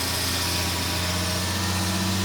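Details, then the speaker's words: 1975 Jaguar XJ6 daily driver with an oil leak, running with Rislone Rear Main Seal Repair added, about halfway through a 15-minute run, with revs raised. Smooth, steady fast-idle hum with pressure rising and no knocks, misses or ticking. Engine sounds healthy. "We're about halfway through at a time. So, we'll raise the RPMs for a little bit."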